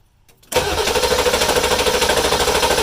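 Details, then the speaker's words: Ford 7.3 diesel with previous hard/no start from low oil pressure, suspected dried O-rings; engine catches suddenly and settles into steady, clattery idle, even pulses, no misfire: starts and idles after hard start. "So it did start, and I don't see anything oozing out of it at this moment."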